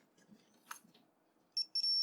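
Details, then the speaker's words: Logic probe on powered Z-RAM Ultra 2 card for Apple //c, connected to 5V and 0V rails: low tone for 0 V, steady high tone for 5 V, breaking once; probe reads reference levels correctly before checking broken traces. "high tone for five volts and then when it's uh when it's make when it's uh picking up any sort of uh you know pulsing you can hear it makes a specific sound"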